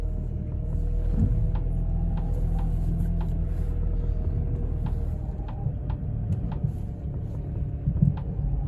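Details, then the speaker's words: Pontiac G5/Chevy Cobalt test drive after the transmission shifting fix: low road rumble with scattered sharp knocks from the front. A worn front control arm needs fixing, and the tires are also knocking. "oh that sounds awful i got that control arm i gotta fix the front too that's on my list so far"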